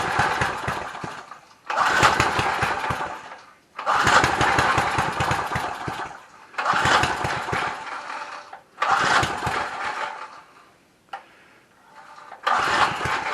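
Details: Lawn Keeper / Trim Rite edger, Briggs & Stratton 3.5 hp with new fuel tank, half a tank of fuel, starting spray used: bursts into life for a second or two then dies repeatedly; owner suspects it is stuck on choke or something is misassembled.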